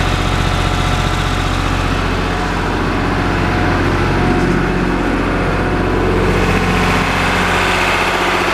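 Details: Lister HR3 diesel generator after cold start, carrying the house on a 100 amp service: steady, even thump holding speed with no stumble or hunting under electrical load; tested right at 60 Hz, healthy.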